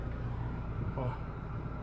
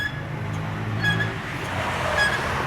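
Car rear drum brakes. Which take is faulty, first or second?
second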